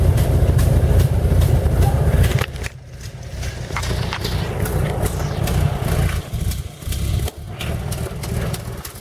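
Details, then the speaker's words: 1917 Buick E-49 idling after a 4-mile drive, temperature up to about 127: uneven puffing sputters about two a second; exhaust manifold leak, copper gasket to be fitted. "good right there that's the sputtering that you hear there's a leak i gotta loosen that and whack that whack that gasket in copper gasket"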